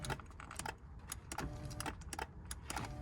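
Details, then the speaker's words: BMW 330Ci ClubSport driver's seat, fault code for an open circuit in the seat carriage hall sensor: sharp irregular clicks about every half second with faint motor hum; the seat switch is faulty and must be double-clicked. "you have to keep double clicking it it's playing up but he actually told me about that"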